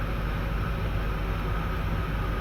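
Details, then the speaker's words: Hyundai Santro with check engine light and codes P1513/P1553 (ISC actuator open/close): loud, steady, fast idle roar with no dip or hunt, engine racing; high idle from idle speed control fault. "दूसरे number पर इस पर problem आ रही है कि गाड़ी बहुत ज्यादा रेस है"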